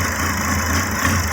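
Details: 2006 Volvo XC70 at idle after an engine rebuild, with a P0016 code. Low idle with a slightly uneven, wavering beat over a steady hum. Owner suspects the cam gear needs adjusting, a lack of power to the cam actuator, or timing being off, possibly the exhaust cam; unconfirmed.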